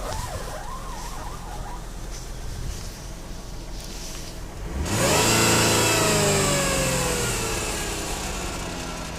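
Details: Chrysler Pacifica starts and idles sounding normal, then a clear whine rises and falls with each rev, tracking engine speed. There are no power steering symptoms. The cause is unknown.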